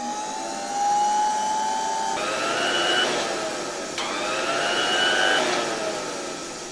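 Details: Electrolux V vacuum cleaner (probably 1924) after fitting stator and rotor from another Electrolux V, with new wiring, power cord and plug: smooth, steady motor whine climbing in pitch as it spins up, no rattles or scraping; motor runs healthy.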